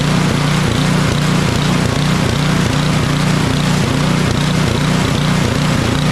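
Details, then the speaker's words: Craftsman 28-inch snowblower with Briggs & Stratton 11.5 hp (1150) Snow Series engine surging, hunting up and down about three times a second with choke fully off; runs well at half choke; carburetor or fuel-related fault, likely water and a bad needle seat. "so what it seemed like here is that we've got a carburetor issue or fuel related issue it's not running well with the choke all the way off with a choke about half it runs pretty well"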